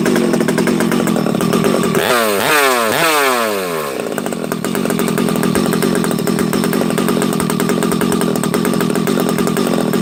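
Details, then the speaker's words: Rebuilt Husqvarna 371xp chainsaw, first start: fires, blips a few times, then settles into a burbly, uneven low idle; running rich on the bottom end as the assembly oil put in during the build burns off. "a couple things here friends you hear how you hear how rich it is on the bottom this thing's got oil you know how I put the assembly oil in the bottom end when I'm first building the saw"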